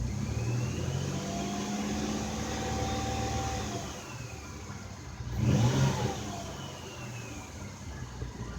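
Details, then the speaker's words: 2004 Ford Escape after spark plug replacement and Time-Sert thread repair, previously with hard misfire: even engine hum that rises cleanly into a short rev and settles back without stumbling; runs smooth, no misfire. "so one minute later we got good reading is running real smooth no more one more misfires"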